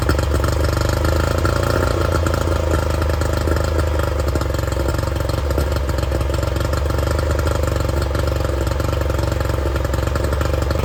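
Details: Loud, steady low-pitched drone at an even speed with no knocking or misses: the 50hp Yamaha outboard on a 1990 Smoker Craft boat, freshly reassembled and started to show how it runs, runs smoothly.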